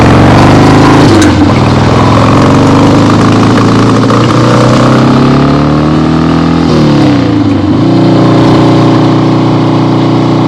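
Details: 1975 Harley-Davidson XLH Ironhead Sportster, freshly rebuilt and basically stock, on a test ride with the camera clipped to the rider: V-twin pulls cleanly through the gears, revs rising and dropping at each shift with an even loping beat; healthy.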